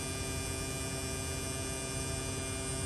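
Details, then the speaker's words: Replacement AC compressor on a mid-2018 Tesla Model 3 (also called 2008) at maximum demand, AC on lowest setting, while recharging with R134A through the low side: an even electric hum at steady pitch, no rattle or grinding; running normally. "so I got the AC on low which is the maximum so it'll spin this guy up as far as it can"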